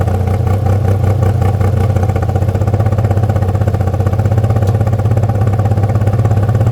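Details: Toyota MR2 with 3MZ V6 runs with a low, heavy pulsing and a loose clatter on top; the cause is unclear.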